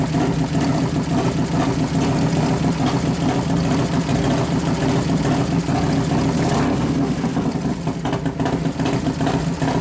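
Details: New 1993 Harley FXR Evo 89ci stroker build, restarted with compression releases after refuelling, warming up, no air cleaner; lumpy loping idle, blips rev cleanly and settle, no knocks: normal idle.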